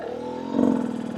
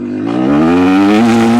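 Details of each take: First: New Rieju MR300 Ranger two-stroke after jetting adjustments, at steady low throttle: a smooth, controlled, single clean note with no sputter or burble. This is exactly how it should sound. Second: Rieju MR300 Ranger two-stroke at about 50-60°F, accelerating from needle onto main jet: revs climb cleanly, then pitch flattens and stalls out at full throttle instead of screaming on; sounds good until full bore, too-rich main jet bog.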